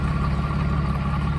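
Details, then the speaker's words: 1993 Mercedes 600SEC with straight pipes, long-sitting, just started: loud steady whirring whine over low idle rumble; water pump pulley wobbling, not running straight, could fail any moment, to be replaced. "if you look on that pulley it's making a lot of noises this can fail any moment"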